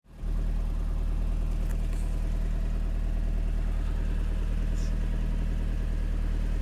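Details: Mitsubishi Evo IX after stalling on expressway with high oil temp, burning oil and 2.5 quarts low, barely started with jump: steady idle with faint uneven ticking rattle; head/valve rattle or rod knock suspected.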